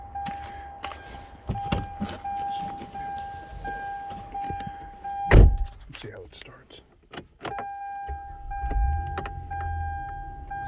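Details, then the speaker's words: After reinstalling the battery and working WD-40 into a sticking shifter shaft in a park-position no-start: chimes and clicks, then a clean crank and a low, steady idle with no stumbling. Normal start and idle. "Sounds good. And shifter feels perfectly fine now."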